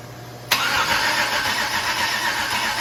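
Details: 6.0 LS V8 with supposedly 150,000 miles, first start attempt since purchase on a makeshift fuel setup: silence, then steady starter churn for seconds without catching. Crank, no start.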